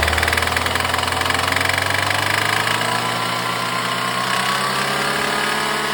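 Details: BMW N20 petrol four-cylinder with a quick, regular knock at idle that rises in pitch as it revs; suspected rod knock, not confirmed.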